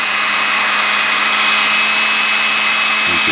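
Steady high-pitched motor whine at even speed with a faint hiss of brushes, no knocking or grinding; motor running normally.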